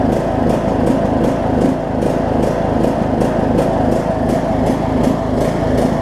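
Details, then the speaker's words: John Deere LA105 riding mower, unrun about three years, after tank cleanout and carb cleaning, cold about 40°F, carb float suspected stuck and dumping gas: single-cylinder uneven pulse about three times a second instead of steady governed beat; hunting, surging. "it's pulse I like crazy for step two [Music] it's like one of those pitiful items I've ever heard second gasps like crazy though"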